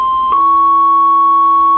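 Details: Vox Super Continental organ: a held high note with a quieter lower tone sounding steadily beneath it, shown to come from the E note's circuit; bleed traced to dirty ground bus connections.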